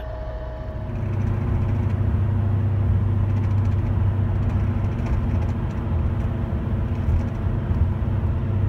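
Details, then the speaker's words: Wheel bearing hum while driving, a deep steady drone under road noise; a left-side bearing gets louder in right-hand turns, a right-side one in left-hand turns. "It's the left side, and you take a right-hand turn, it should get louder. If it's the right side, and you take a left-hand turn, chances are it's the right side."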